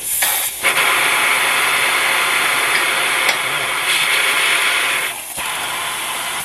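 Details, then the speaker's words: 2006 Land Rover LR3 with inoperable air suspension: strong steady hiss for about six seconds as the valve on the air reservoir is cracked open with a 24mm socket, confirming the reservoir holds pressure and the compressor works. "So by confirming that there is pressure inside of the reservoir, we are backing up what the live values is telling us, and we are also confirming that the air compressor is actually working and creating pressure."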